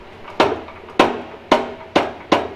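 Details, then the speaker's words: Old small engine turned slowly by hand: a hard, ringing clunk about twice a second, once per turn, from a connecting rod hanging loose inside; rod knock, won't run. "this one's not gonna run it has there's a rod hanging inside of it"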